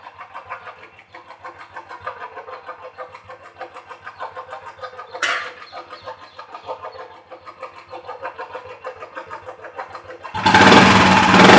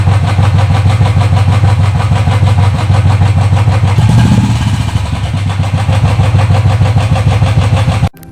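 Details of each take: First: Royal Enfield single-cylinder about 1,500 km after mechanic servicing (tappet noise was loud at 2,500 km): light steady ticking over a soft thump, then a loud rush at the end; tappet clatter now tamed, normal idle. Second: Royal Enfield single at idle at about 2500 km, loud fast tick-tick over the thump, louder than the exhaust; noisy tappets, later checked by a mechanic.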